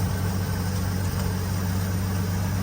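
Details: 1952 Dodge Wayfarer revived after sitting for decades, restarted after a stall: steady, even low idle with no misses, knocks or ticks, smooth like a sewing machine; it still dies as soon as it is put into gear.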